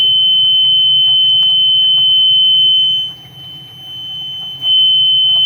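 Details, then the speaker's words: Homemade RV black/gray holding tank alarm using a voltage comparator module, relay and buzzer, tested by running water in: loud steady high-pitched piezo tone, briefly dropping out, until power unplugged; tank-full alarm tripped, warning to open dump valve. "when that goes off i know there's a flood about to happen hang on other things noisy okay i have to unplug the power to it because it's very loud"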